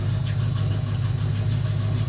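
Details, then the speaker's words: 1972 Mustang 351 Cleveland with new Edelbrock 4-barrel intake, headers and 2.5-inch exhaust with Black Widow mufflers, first start on the ground; steady deep burble, even slightly loping beat, no knocks or ticks, doesn't sound bad; normal idle. "Yeah, that sounds a little better. What about here? Yeah, she needs cam, but it doesn't sound too bad."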